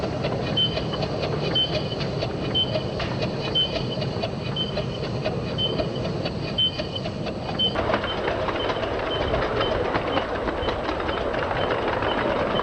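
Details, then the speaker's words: 7 1/4 inch gauge Stanier Black 5 steam locomotive when new, running on track, video slowed to lower pitch: sharp high squeak about once a second; cured by changing the brand of steam oil. "How did I stop this squeak? It was really horrible. I just changed the brand of steam oil I was using."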